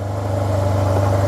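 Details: Project 2009 Yamaha T-Max scooter, bought not working: low, steady idle with a smooth regular beat and no knocks or misses; quiet normal idle.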